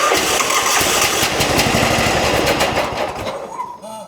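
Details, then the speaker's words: John Deere lawn tractor with crank-no-start, air cleaner off, starting fluid sprayed into carburetor: fires and runs fast about three seconds then fades out; spark and compression present, fuel issue suspected (carburetor, fuel pump or fuel line). "Okay. So, that tells me I have spark. I at least have some decent enough compression for the engine to run. So now I can safely assume that we have a fuel issue."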